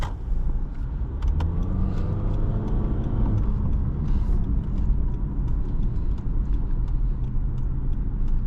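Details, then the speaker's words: 2023 Honda HR-V Sport, 2.0-litre four-cylinder, 158 hp, CVT, regular fuel, accelerating on road: faint tone rising smoothly with speed over low road rumble; normal, standard CVT whine. "Yeah, so you do feel that CVT, you do hear that CVT whine. Pretty standard sound for a CVT."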